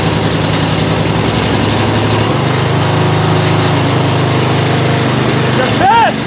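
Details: Bolens M762F lawn tractor engine after rebuild, fuel shutoff solenoid now powered: steady, even drone at constant speed with no misses or knocks; running smoothly, excess oil burning off.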